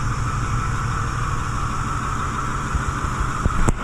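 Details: 2010 Ford F-250 6.4 Powerstroke diesel, Copart rebuild with replacement engine, idling up in high idle mode: steady, even clatter and low rumble with no misses or knocks; normal idle.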